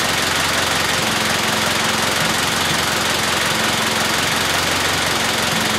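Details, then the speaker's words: Honda K-series engine stone cold just after fixing a cold-start rattle, no idle air control valve fitted so slightly hard to start: steady, fast cold idle with an even beat and no rattle, running perfectly. "it runs perfect it's a little hard on startup because obviously no idle air control valve the motor is stone cold"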